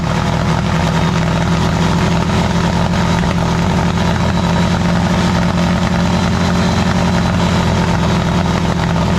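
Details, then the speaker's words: Freshly built VW 1641 air-cooled engine at its first start, running hot: loud, steady note with a raspy, puffing exhaust edge from a loose exhaust clamp leak. The clamp is to be tightened once cooled. "And then on this side, the clamp on the exhaust is loose, so it's got an exhaust leak, but let it cool down and t"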